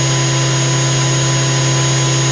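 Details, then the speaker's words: 1999 Daewoo DMV-500 vertical machining center spindle run up to 8000 rpm: smooth, steady high-speed hum with a clean tone and no vibration, rumble or wobble; normal spindle. "as you can hear it sounds good no vibration whatsoever no rumbling or grumbling"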